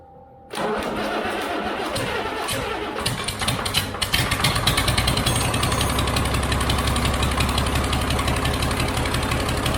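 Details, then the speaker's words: Cummins engine just fitted into a Land Rover Defender, first start with no coolant: cranks, catches at once and settles into an even diesel idle clatter. Normal running, though oil and transmission fluid are leaking. "anyway so at least we know it runs nicely now I'm pretty chuffed with that"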